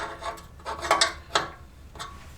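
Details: Reel mower reel adjusted down about 1/8 turn at a time until it just grabs; light, crisp, even ticks as each blade passes the bedknife without scraping, so the reel is set correctly.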